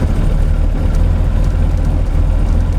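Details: Supercharged 8-port Mini engine at cold-start idle during ECU mapping, with a deep, even rumble and no misses or knocks. Warm-up fuel tapers to 12% by about 1,000 engine turns; it runs normally.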